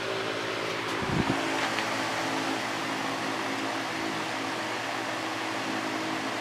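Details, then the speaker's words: Patton 18" High Velocity Fan Model U2-0018, four-pole PSC motor, running on high after its blades were re-pitched steeper: an even, steady whoosh with a soft motor hum and no wobble or rattle. It is now balanced, quieter and moving more air. "now that I pitched the blades as you can see this pitch is a lot steeper not only to balance it out because it was kind of off balance before but it increased the airflow and quieted it down a lot so I'm pretty happy with that"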